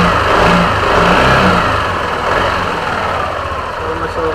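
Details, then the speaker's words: Yamaha NMAX v2.1 scooter after replacing a worn spark plug; before, it died on slight throttle: a smooth, steady idle rising cleanly with each throttle blip and settling back without stumbling; normal idle and throttle response. "mas okay sa akin ngayon yung response niya."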